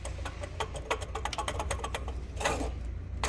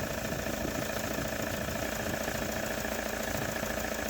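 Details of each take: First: Toyota Hilux 3.0 diesel with a loud noise at morning start: fast light clattering ticks over the engine rumble, traced to large play in the water pump bearing. Fixed by replacing the water pump, camshaft seal and accessory belt. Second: Toyota Hilux 3.0 diesel after repair of a loud noise on morning start-up: replaced loose water pump, leaking camshaft seal and accessory belt. Now a steady, even diesel clatter at idle with the fan and air conditioning running, no knocks or misses. Normal idle.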